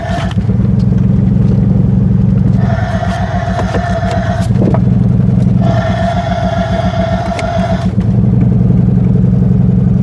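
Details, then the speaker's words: Buick LeSabre started after about a decade parked in the pines, owner knows it has no brakes: the engine pulls hard while a harsh scrape and squeal come and go as the car creeps; a seized, locked-up brake dragging. "oh yeah that one Brake's locked up I forgot about [Applause] that"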